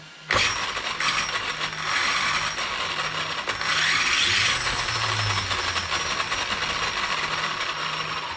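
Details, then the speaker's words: Arrma Kraton 8S RC car: sharp high-pitched clatter and ratcheting, seemingly from inside the motor, as it spins, with the gears fine. A loose armature inside the motor is suspected. "i'm really starting to think it's inside this motor you're saying when the armature or something comes loose that it could uh it could literally make that noise because all the gears are fine"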